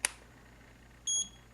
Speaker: the next really great feature to have sometimes is this continuity symbol it beeps